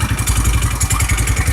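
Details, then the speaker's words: 150cc scooter single, rebuilt after bad crankshaft bearings were replaced: a brisk, even putter with a regular beat and no knocking underneath, so it runs healthy. "cool it's not knocking it's not taking me over"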